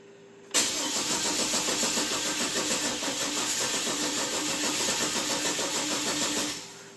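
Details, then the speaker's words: 2008 Chevy Trailblazer that doesn't run, battery on charger: steady starter cranking about three to four turns a second for six seconds, never catches; owner suspects a weak fuel pump, some pressure present, untested; crank no start. "we may have a weak fuel pump I don't know I'm new"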